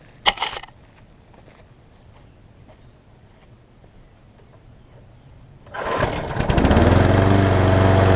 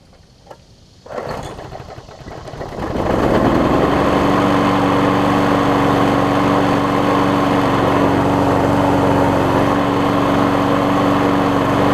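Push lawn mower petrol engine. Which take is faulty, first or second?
first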